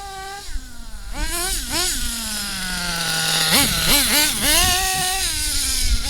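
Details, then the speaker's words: HPI nitro Trophy Buggy with 3.5 engine, pull-started in cold weather around 30°, after fixing a tight gear mesh: high-pitched buzz snapping up and dropping back cleanly on throttle blips, crisp and even; healthy nitro engine running. "Just listen to that purring away in the background, if you can hear it over the wind."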